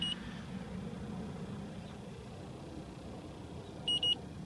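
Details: 2010 Trane/American Standard package heat pump not keeping up. Sharp high beeps from the leak detector at the start and again near the end, over a low hum, flag a refrigerant leak at a service valve core that had only a plastic cap.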